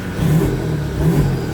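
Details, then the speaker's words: Toyota Hi-Lux after fixing a no crank, no start caused by a ground lost during repainting; no brake malfunction warning now: two quick throttle blips rising and falling cleanly, no misses or knocks; revs freely after repair. "So so ito ay umaandar na ngayon."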